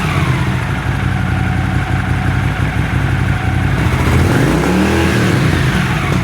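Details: Honda CX500 twin, warm, first start after carb clean and bench sync, idle screw set to about 1000 rpm: steady low even rumble with a slight rise near the end, no misses; previous choke-only idle and white smoke problems appear gone.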